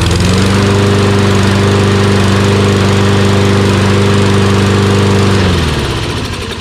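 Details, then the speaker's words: Toro Recycler XT675 Kohler mower after replacing a collapsed fuel line that starved it of fuel: steady even note with no hunting or surging, winds down cleanly at shutoff; surge fixed, normal running. "you can hear it doesn't surge anymore a reason why it surged was because the fuel air mixture wasn't right"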